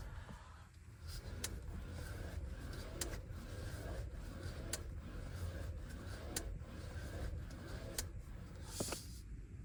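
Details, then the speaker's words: 2023 Chevy Bolt EV, nearly new, cabin: sharp clicks every second or so over low rumble each time the steering wheel is rotated one way, sometimes creaking over bumps; worse after dealer replaced a support tie rod; cause not pinned down. "Yeah. So, as you can hear, it does that literally every time I uh rotate the steering wheel in that way. And sometimes I'll just hear it randomly now when I'm driving and I hit a bump or something and just creek."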